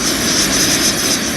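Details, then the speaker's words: Gas camping cooker lit at full: steady, even hissing roar like a small blowtorch, with no sputter or pulsing; the flame is lit and burning normally. "so you'll hear the hissing first and then when I use a lighter the sound will change into a bit more of a blowtorch e-type sound"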